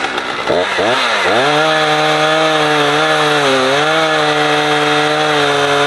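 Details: Husqvarna 455 Rancher two-stroke chainsaw, warmed up, cutting a heavy block; it had choked when warm. High steady scream dips slightly biting in, pulls back cleanly; old filter discolored brown.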